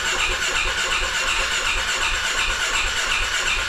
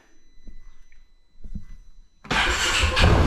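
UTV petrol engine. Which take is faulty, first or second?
first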